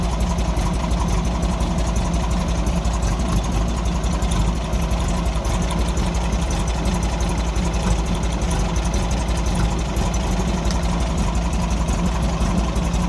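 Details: 1964 Volkswagen Beetle four-cylinder with backfire problem, owner suspects carburetor blockage: low lumpy idle with uneven beat near two a second; pulling plug leads 2 and 4 changed the note much more than 1 and 3, a weak cylinder suspected.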